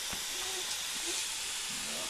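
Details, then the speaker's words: Honda intake manifold pressure test, engine off, using compressed air: steady airy hiss with no rhythm; air escaping at the manifold gasket, which is leaking slightly. "Yeah, gasket is leaking slightly."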